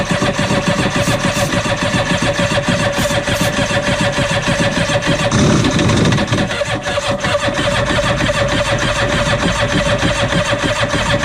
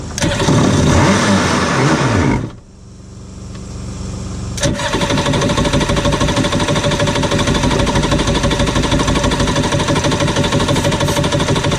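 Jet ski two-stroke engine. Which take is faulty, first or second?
first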